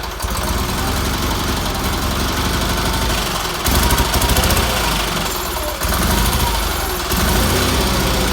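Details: Red Roper engine after new fuel filter, fuel line, pulse line, wiring and exhaust, some tuning done; weak fuel pump suspected earlier: small twin runs steadily at fast idle with brief speed changes, no knocks or misses; runs good.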